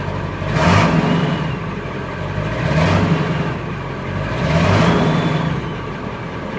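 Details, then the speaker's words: Salvage Copart Ford F350/F550 diesel truck, in neutral, good oil pressure on dash: three clean rev blips rising and falling smoothly, no knock or rattle; normal revving, runs and moves. "she sounds good she sounds good all right we know it runs and it moves"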